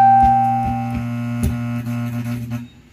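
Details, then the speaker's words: Laney guitar amplifier on speaker test: steady low hum near 120 Hz with light tap clicks as the filter capacitor is tapped; the hum disappears when the capacitor is released, so a loose filter capacitor causes the hum. "ayun Ito lang yung problem sir hindi mo nakita agad y nawala yung haming pag bitawan ko to"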